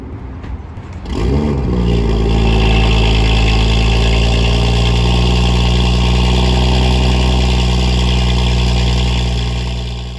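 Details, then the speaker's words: BMW M2 with M Performance exhaust, no silencer inserts, cold start: starter churns, engine catches and flares, then holds a deep, booming fast idle; very loud startup, decibel meter thought to read around 60 at rest before peaking. "For now, let me show you the cold start, and you can understand why my neighbors might hate me, and then we'll get onto the freeway."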